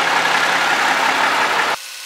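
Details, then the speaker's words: White 4000 semi truck idling: steady, even diesel rumble with no knocks or misses before shutdown, so it runs healthy. "Free on the injectors. Sounds good."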